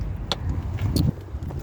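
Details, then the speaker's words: 2004 Dodge Journey, no codes or check engine light: engine running with deep rumble and loud metal-to-metal rattling/grinding from left side of engine; cause was alternator pulley, confirmed by running with serpentine belt off. "it was loud like a metal to metal noise grinding um but it had power and everything but uh basically my situation what it came down to be is it was the out the pulley on the uh alternator"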